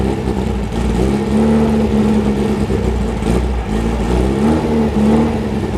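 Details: VW Bus engine being rebuilt to 1835 after being bought with a blown engine; idle hunts up and down instead of holding steady, the note rising and sagging; sounds lean and rough, like a fuel-starved idle circuit.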